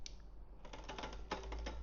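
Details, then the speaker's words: Electric tricycle rear derailleur being shifted down from gear six during assembly: light, uneven clicking as the chain hunts at the largest sprocket without settling. It is not reaching first gear, and the fix is backing the low-limit screw out about half a turn. "quite getting up to first. You can hear that noise. So that means I need to do just a small change."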